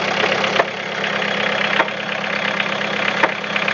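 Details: Toyota Caldina 3C-TE diesel at idle: steady idle with a sharp heavy knock about every second, irregular, from the piston area and transmitted through the whole engine; source unclear.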